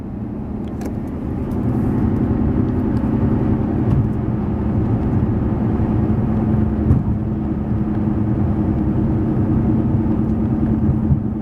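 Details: Steady low droning roar while driving at about 55 mph, loudest between 45 and 50 mph and resembling a downshift or exhaust note, caused by worn front tires rather than a wheel bearing.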